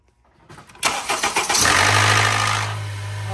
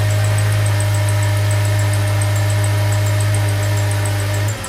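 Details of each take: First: Cold start of a Honda VTEC engine (2.4 or V6). It cranks and catches with a harsh metallic rattle for about a second, then settles to idle. Blamed not on low oil pressure but on the actuator. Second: Honda VTEC engine (2.4 or V6) after fixing the 1–2 second cold start-up rattle: steady, even hum with low drone and no start-up rattle; clean, normal cold start.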